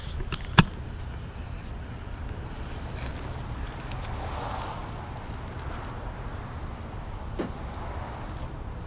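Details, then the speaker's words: Nissan 300ZX idling at about 900 rpm with the idle air controller unplugged and its screw adjusted, after previously idling around 1500 rpm. Quiet, steady low hum with no surging; normal idle. "but check out what it sounds like when it's idling at a normal height normal speed which right now I have it set at about 900 so"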